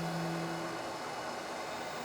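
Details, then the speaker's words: Lathe making a plug gauge, hand-feeding a cut toward the shoulder: a brief steady buzzing hum, then rougher cutting noise; the tool chatters on slow feed and cleans up when feed stops or is fast. "so really dealing with chatter now but it seems to quiet down as soon as you stop moving"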